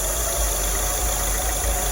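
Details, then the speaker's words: 2002/2003 Acura RSX Type S K20 at idle with the IACV port blocked by a finger: surging stops and rpm drops near 500, then a faint uneven pulse returns as air is let in gradually. Confirms the idle air control valve is stuck. "I'm just letting a little more air in at a time and just letting more and more air in there and then we've got an imcb that's basically stuck"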